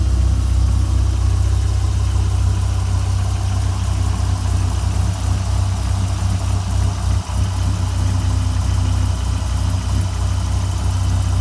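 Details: 1997 Dodge Viper GTS V10 after fuel pressure regulator leak-back fix, started holding about 36 on the fuel gauge: deep, even idle burble holding steady with no stumbles or misses; idles normally.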